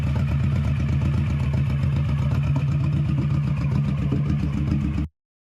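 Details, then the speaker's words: 21-year-old Honda Shadow V-twin with new Vance & Hines exhaust, baffle repacked with new fiberglass, steady speed: deep, even thump, no rasp or misses, tamer, well muffled; normal running. "I really enjoy the way it sounds now I think that the fiberglass did help quite a bit it's a little bit more tame it's not as raspy it has a nice deeper tone to it"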